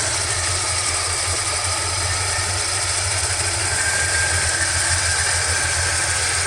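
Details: 1977 Chevrolet squarebody barn find, first start in 17 years, 30 psi oil pressure, manual fast idle spec about 1300 rpm: even steady V8 idle with smooth low burble, no knocks, misses or squeals; running healthy.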